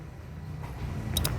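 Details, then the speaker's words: Toyota Hilux 2GD that is hard to start after being shut off: with the key turned, two sharp clicks from the starter about a tenth of a second apart but no cranking; power reaches the starter, and the starter itself is suspected. "Nakakapasok ang kuryente nito. Hindi lang nakakaikot. Hindi nakakapalo yung ano yung starter."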